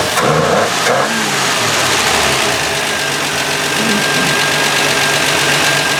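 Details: Canadian 1966 Valiant six-cylinder, sat over 20 years, after reconnecting a loose spark plug wire: after a brief blip, a steady, even engine note with no missing beat, firing on all six cylinders. Normal idle.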